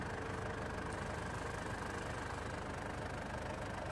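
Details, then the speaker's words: Ford Everest that would not start, with the battery terminal suspected loose; after the fix it is switched off and restarted, and it settles into an even, steady idle with a smooth low rumble and no misses, knocks or grinding. Normal idle. "Switch off ko itong makina after a second start ko ulit yan yon okay na talaga siya"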